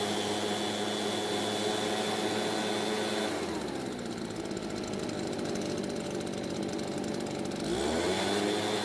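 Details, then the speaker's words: Garage-sale RedMax backpack leaf blower, two-stroke, run with air filter refitted: even buzz easing off then picking back up cleanly; runs okay with or without the air filter. "so it seems to be running okay with or without the air filter"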